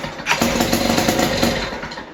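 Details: West Bend 580 two-stroke engine, sat several months, new starter cup, dogs and recoil spring: catches and buzzes with ragged popping, then sags and dies instead of idling; owner suspects dirty reed valves.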